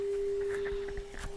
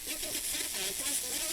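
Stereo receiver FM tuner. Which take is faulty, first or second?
second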